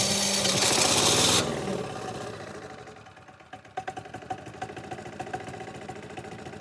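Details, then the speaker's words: MEP-531A/501A military diesel generator after fuel system priming, frequency up to 62-63 Hz: cranking gives way to an uneven, stuttering run with irregular puffs and knocks; air still clearing from the injection lines. "so it's running at proper RPM if the gauges say 62 to 63 Hertz on the Hertz gate you can probably hear it now it's still stuttering just a little bit"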